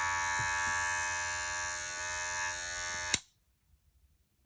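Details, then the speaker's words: Magic Clip cordless hair clipper, dropped, after replacing broken motor with upgraded 7200 RPM 3.6-volt motor: steady even high buzz, no rattle or wavering, switches off cleanly; feels more powerful than before. Normal running. "these feel these feel more powerful than they were before I'll tell you that"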